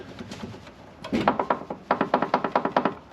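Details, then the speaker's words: Mercedes C55 AMG (W203 V8) front corner with custom coilover suspension worked by hand: short dry creaks in bursts about every half second from the top mount; owner suspects the top nut or spring preload, as this side spins easier; other side silent. "so ah my only idea is either this Top Nut or the actual preload on the spring because this one does spin a little easier to the other one"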